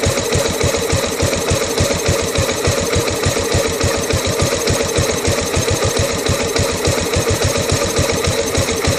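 Single-cylinder thumping at idle at roughly three and a half beats a second, with the beat uneven and lumpy: a rough idle, cause unclear.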